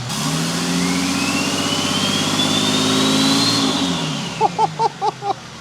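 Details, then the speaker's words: Nissan Patrol TD42 diesel with newly fitted Thai-built F66 turbo: throttle stab, engine climbs smoothly with rising turbo whistle then settles to idle; healthy, no misses or rattles, sounds insane. "Holy crap. I actually can't believe how good that sounds."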